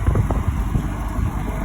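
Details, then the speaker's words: GE AHEK08ACW1 air conditioner, three weeks old, that kept kicking off, after bypassing the control board and reassembly; a low, even fan and compressor hum that stays steady with no cycling or rattles, blowing cold. Normal running. "so far it hasn't kicked off it is cold it is on so at least it works it sucks to"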